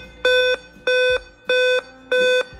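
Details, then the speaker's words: Dell laptop at power-on: five loud short beeps in a row, a pause, then five more, repeating; the 5-beep code points to a CMOS battery or system clock chip fault, CMOS battery failure. "As soon as we turn on our device , 5 short beeps in a row with a loud sound. After taking a break, the same 5 short beeps continue in the same way, and"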